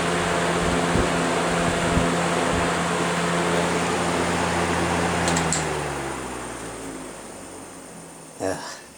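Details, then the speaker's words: Vintage electric fan coasting down: steady motor hum with a faint, even rub about three a second. This motor lacks plastic bushings, having only fiber and metal washers and a C-clip, which is likely causing the rubbing noise. "so this one does not have those plastic bushings and that's probably what's making that noise"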